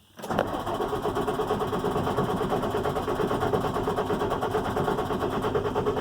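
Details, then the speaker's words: International MaxxForce DT466 diesel, starts fine cold but won't restart once warm, shut off and recranked: starter spins it steadily at about three turns a second but it never fires; hot crank no-start. "now this thing would you can crank this and crank it and crank it into your blue and you know you've run the batteries down and killed it and it's not going to start okay"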